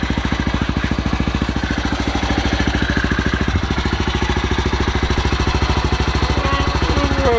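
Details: Honda Grom MSX125 after new lithium battery install and reassembly: small single ticking over with an even, steady thump at low idle, no misses or knocks; healthy idle.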